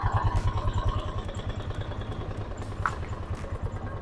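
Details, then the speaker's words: Suzuki Access 125 scooter at idle, before repair: light, fairly regular knock about three per second under the engine note; variator movable drive (roller comb) worn, unchanged for a long time, to be replaced. Variator knock from worn movable drive. "ആ ചെറിയൊരു noise നിങ്ങൾക്ക് കേൾക്കാൻ പറ്റും. അപ്പോൾ ഇതാണ് complaint."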